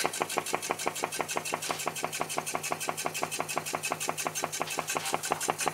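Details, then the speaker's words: New homemade Stirling engine, first run, water-cooled, running after burner turned off: quick, crisp, steady ticking about three beats a second, no stumbles; builder notes some wasted power from the flapping diaphragm needing redoing. Normal running. "a very nice sound might need to fix the um re redo the um diaphragm cuz it does seem to have a bit of wasted power there"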